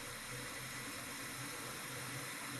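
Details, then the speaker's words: 1987 Volvo 740 Turbo, 37k miles: constant even white-noise hiss from the HVAC system continuing about a minute after shutdown, returning with key on; owner suspects vacuum actuation of the blend door — HVAC hissing after shutdown. "i don't know if you can hear that a little bit of a almost white noise coming out of the hvac system here i don't know if it uses vacuum to actuate the blend door or what but that was something i noticed um one other thing is it when you shut it down you can keep hearing it it'll go like that for another minute or so"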